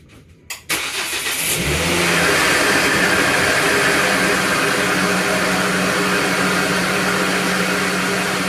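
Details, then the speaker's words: 2009 Volvo C70 T5 first start after installing an Elevate turbo air intake, TCV and engine mounts, and replacing coolant: cranks briefly, catches, settles into a loud slightly uneven hum with a faint pulse, running a little rough; a code appeared. "That sounds a little rough, sorry."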